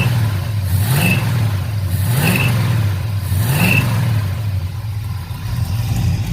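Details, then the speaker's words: 1971 Chevrolet El Camino V8 with water and condensation clearing from the exhaust: deep, even idle and three clean throttle blips. The earlier miss when revving has cleared; normal idle and revving. "still got that little mess when i rev on it a little bit oh no it's cleared up missed gone"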